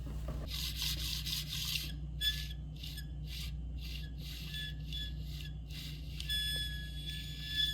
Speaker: Yeah, every little bit too, there's a tiny bit of squeak. So I think this motor's toast.